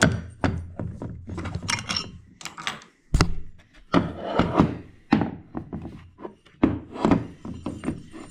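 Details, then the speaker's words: Husqvarna iZ5223 zero-turn mower, Kohler CV23S, PTO clutch tested after repairing its damaged wire: irregular sharp clacks and dull thunks as power switches on and off. It snaps in and releases properly and moves freely. "So it's clacking and it is moving freely, and it's not off center like it was previously. It's actually working the way that it's supposed to."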